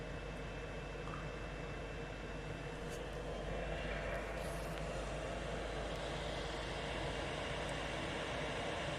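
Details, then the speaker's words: 8kW Chinese diesel heater installed in a static caravan, running at full combustion as temperature rises: an even, steady rushing roar that grows slightly as it heats, with no pops or surging; burning cleanly and healthy. "starting to sound like a boeing 7.7 which is brilliant oh listen to all that heat"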